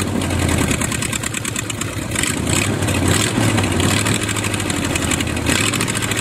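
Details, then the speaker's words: Used Chevy 350 small-block V8 on an engine stand, first run after purchase: uneven, lumpy idle that stumbles and surges; carburetor top off shows dirt inside, idle circuit tubes likely plugged, thorough carb cleaning needed. "got the top of the carburetor off some of the parts out and there's definitely dirt down in there so we're going have to give a thorough cleaning"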